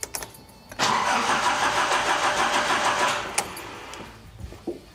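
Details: 1980s Nissan 200SX during igniter and coil testing: the starter churns steadily for about two seconds at roughly three beats a second with no catch; cranks but won't fire, cause unknown.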